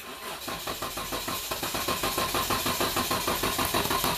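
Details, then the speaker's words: 2012 Dodge Durango 3.6 L that intermittently fails to start, suspected TIPM fuel pump relay not actuating correctly; steady starter cranking at about three turns a second with no catch. Crank, no start, as fuel pump power drops out. "So right there, we lost power. We had no power for a long time. We got power, and then it lost power again."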